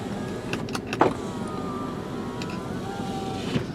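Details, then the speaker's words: 2004 Kia Amanti with 13,528 miles, engine running with heater on, back window: smooth, even motor whir as the glass travels, with a soft clunk at each end stop. Normal power window operation. "all right and then the driver's side all right so there's our Windows"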